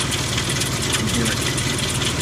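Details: 2002 Ford Explorer 4.0 SOHC V6 at about 220,920 miles, idling with a fast, dry metallic timing chain rattle over its low, steady hum, before timing chain replacement.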